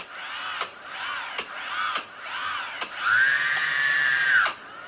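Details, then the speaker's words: Quadcopter's four 1100kV motors on flashed, calibrated ESCs with Multiwii 328p board, no props, armed with throttle up to midpoint then into reverse: repeated short spin-ups then steady high whine, no grinding or rattle; normal reverse spin. "so disarmed okay armed up on the throttle to midpoint so there you go and then reverse"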